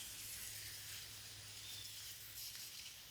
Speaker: Obviously, pretty massive leak here. There must be a crack because it's coming from actually underneath too.